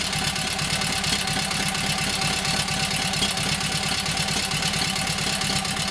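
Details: Kohler KT17 twin, first start after governor rebuild: quick, even exhaust pulses at steady idle, no knocks or gaps. Oil pressure 50, governor works, timing sounds good; carburetor high/low needs tweaking, plugs doubtful.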